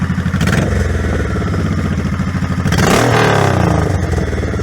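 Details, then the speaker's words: 2002 Honda Shadow 1100 V-twin after carb kit with new jets and shims to cure lean running and decel popping: loping idle, clean light, medium and hard revs, no popping; healthy. "I like the pipes. I think it sounds good. I'll give it a couple of revs for you. So I'll give you a light rev, a medium, and I guess a hard."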